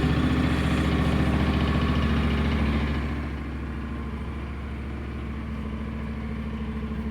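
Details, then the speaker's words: Honda NC 750 X DCT motorcycle, cold idle on choke: steady, even idle with raised fast-idle note easing down smoothly; no knocks or misses, runs clean. "dobra odpalimy go ładnie pali naprawdę pięknie"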